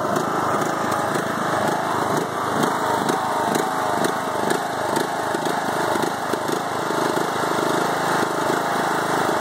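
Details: 5-year-old Craftsman mower, Briggs & Stratton Intek 20HP twin, after a head gasket change following hydrolock: uneven idle with stumbling firing pulses; bogs during mowing, smoking stopped.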